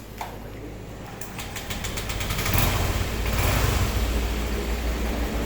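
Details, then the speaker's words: Honda Vario scooter after engine teardown and rebuild following coolant loss and very low oil that caused knocking: engine catches, swells, then settles into an even, steady idle with no knocks; now sounds normal. "Oke jadi suaranya Udah gak kayak awal Ya udah gak ahah ini udah alhamdulillah ah normal ini"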